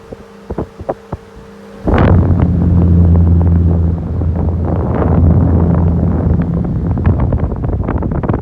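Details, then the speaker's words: Single-speed desk fan, recently oiled, one of the most powerful in the collection: after a switch click it rises to a loud, deep throbbing hum with coarse shake; heavy vibration spins the head on its own, apart from oscillation. "As you can see, the head keeps turning, not from the oscillation, due to the fact the head moves so freely because of the vibration."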